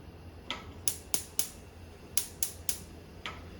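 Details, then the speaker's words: 2012 Whirlpool gas oven with no pilot light, electric igniter, oven not heating (preheat never completes), gas confirmed on: sharp uneven dry ticks about four a second over faint hum; igniter sparking normally. "this is a gas stove from 2012 it does not have a pilot light it uses an electric igniter"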